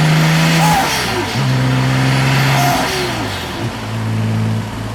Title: b5 s4 testpull , misfire on CYL 2.